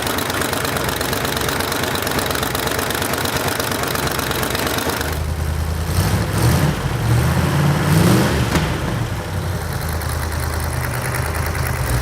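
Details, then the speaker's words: Rebuilt Ford V8 from a barn-find 1972 Pantera, warmed up: blips and idles with a sharp ticking that follows engine speed; header leaks at the ports from cheap kit header gaskets. "we got the engine running got it warmed up real good and if you could hear it you could hear the headers leaking and I purposely used the cheap header gaskets came in the engine kit"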